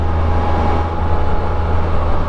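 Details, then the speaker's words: 2023 Can-Am Spyder Sea-to-Sky, under 800 miles, near-neutral throttle on a test ride: steady high whistle/whirring over the engine drone; owner's reported whistle judged normal characteristic of the model, not a fault. "a normal function of the machine characteristic of the model I don't know that just screams you know quality it was well made and you just hear the whirring"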